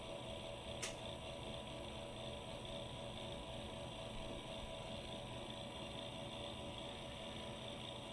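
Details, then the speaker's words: External drive chassis for an Amiga 500 (1987) SD-card storage setup, just powered on: its very noisy fan spins with a faint, steady, constant high whirring hum. "I've powered on the external chassis. The very noisy fan is now spinning, much to my shock."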